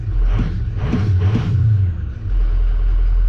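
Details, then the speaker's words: 2003-2007 Ford 6.0L Powerstroke diesel after high-pressure oil leak repair for long crank: deep rumble climbs cleanly through quick throttle blips and settles to steady idle; crisp, healthy throttle response. "But you see the, you know, the throttle response is real good. Yeah, she's responding real well."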